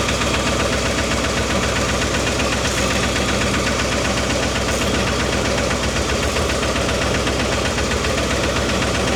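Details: Old Ford 260 V8 Mercury with new lifters, timing being set: steady idle with light uneven ticking a few times a second, valvetrain tap from rockers still needing adjustment; slightly better, carburetor and point gap unchecked.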